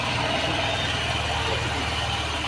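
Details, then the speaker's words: Honda SP 125 BS6 motorcycle started during full servicing after oil change: steady, even single-cylinder idle with low regular beat and no knocks or rattles; normal idle. "গাড়িটাকে এবার আমি start দিচ্ছি, দেখুন আমার গাড়ি start."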